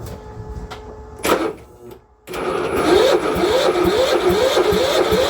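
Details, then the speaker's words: Cub Cadet mower during a motor swap, spark confirmed: fast, uneven chuffing about four a second after a burst of cranking, barely firing and not settling. Owner suspects it needs more gas; sputters but won't run cleanly. "Okay, more gas maybe? It's got spark. Okay, it's got more gas. It ran, kinda."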